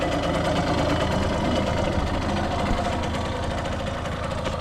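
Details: 1989 Yamaha YSR50 50cc two-stroke, 198 original miles, restored, running on premix plus oil injection (oil light stays on, cause unknown): steady quick buzzing idle, no misses or rattles; runs like new.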